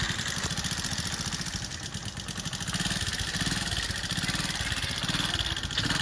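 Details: TVS XL 100 Heavy Duty single-cylinder at idle: fast light ticking about three or four per second over a steady idle; tappet noise from excessive valve clearance, later checked against timing chain with the head cover off.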